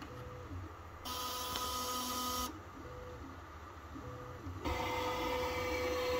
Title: Ender 3 V2 stepper motor grinding sound problem